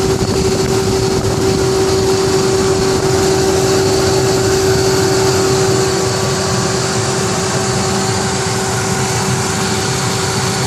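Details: 1998 Ford Expedition idling with a clear steady hum, a fixed mid-pitched tone plus a fainter higher one; the hum also occurs while driving, cause unknown.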